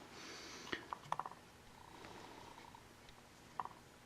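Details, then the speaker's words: HYE HY1000L wind turbine teardown, shaft spun slowly by hand: a faint rough purr with sharp, irregular ticks in the reverse direction from worn bearings; the shaft is not bent, but the rotor wobbled on the pole and is poorly machined or centered. "i go the other way hear a ticking shitty bearings"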